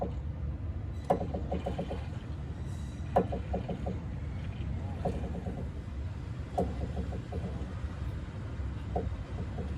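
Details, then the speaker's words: Mazda Tribute/Ford Escape on wooden blocks with the wheels off, steering turned left and right: a rapid ratcheting creak returning about every two seconds. "okay the wheels are off and I'm going to go inside the car and turn the wheel to the left and to the right so that you can hear the creaking sound whenever you turn left and right"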